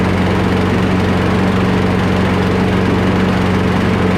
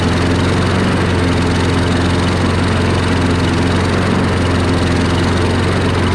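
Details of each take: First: Free curbside Craftsman push mower, single-cylinder, after carburetor removal and full cleaning, fuel line refitted and air box reinstalled: steady, even drone with no surging or misses; normal running. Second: Free curbside Craftsman push mower after first-time carburetor cleaning and reinstall, running with air box removed: loud steady low single-cylinder drone with even firing; owner suspects it lacks intake resistance, refits air box to compare.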